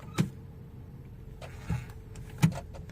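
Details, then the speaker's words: 2010 Toyota Camry 2.5L automatic with codes P0741 and P2714, after line pressure testing: steady idle with single firm thuds as gears are selected; the earlier two-second delay into drive is gone, reverse and drive engage almost instantly. "that two second delay that we had a while ago seem to be non-existent currently put it back in neutral so it was down to more like us like half a second but it feels compatible with reverse"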